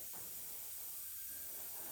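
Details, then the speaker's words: Subaru XV tyre off the car with a broken-off nail causing a slow leak, puncture hole reamed larger with the repair kit tool: steady sharp hiss of air escaping through the hole, before plugging. "So you can see I've made the hole a little bit bigger. Hear the air flowing out through there a lot easier now."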